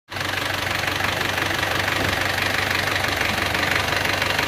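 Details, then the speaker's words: Isuzu Panther 2.3 diesel after engine rebuild for blow-by (pistons, rings, one used liner); even diesel clatter at steady idle, no shake or stumble, clean revving sound, healthy. "mesin pun tidak goyang ya lur ya, rata banget. Coba kita gas dulu, suaranya gimana. Bening, suaranya bening."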